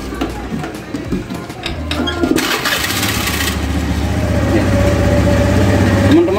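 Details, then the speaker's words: Honda Scoopy scooter after a CVT service for a rough-sounding engine: it cranks, catches and settles into an even, smooth idle with no rattle or grinding, sounding clean like a new bike. "sekarang suaranya sudah bersih seperti motor baru"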